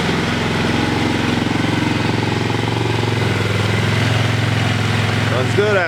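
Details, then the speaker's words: Single-cylinder carbureted engine after a rebuild, at a fast idle: slightly uneven thumping with occasional irregular pops. Owner suspects the float height is set too high or the timing is off. Backfiring. "I might have set the float height on the carb a little too high and it's not getting enough back gas and backfiring or I blew the timing's off"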